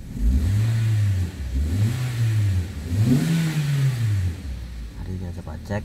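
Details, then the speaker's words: Toyota Sienta petrol engine revved in blips after water pump replacement; earlier rough noise near alternator and water pump traced to the pump's gritty, rough-turning bearing, now gone: smooth revving, no grinding. "setelah kita lakukan penggantian water pump suara kasar sudah hilang Mari kita coba untuk gas-gas terlebih dahulu"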